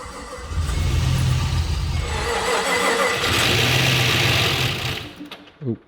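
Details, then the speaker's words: Car being flipped, first start attempt after plugging in the coil packs: it cranks and catches into a ragged, stumbling run for a few seconds, then dies. Owner suspected low fuel or the tune; the cause was a missing engine ground wire. ">> So, we turned the key and it made a little bit of noise. It didn't sound great, but it was something. >> I just don't think it's getting enough fuel. But it started."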